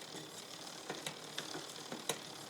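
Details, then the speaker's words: New SRAM XO Transmission wireless drivetrain on mountain bike after adjusting derailleur outboard then inboard: quiet uneven ticking and clicking with skipping through gears; rear derailleur misaligned, not getting quieter. "no there's something goofy going on because I got some kind of skiing going on"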